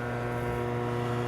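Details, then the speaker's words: Boxed isolation transformer used for repairing a 1951 GE Model 410 AA5 tube radio: a loud, steady, buzzy low hum around 120 cycles that never changes. The transformer hums badly, and the owner plans to pack its box to reduce the hum. "can hear it's hums real bad"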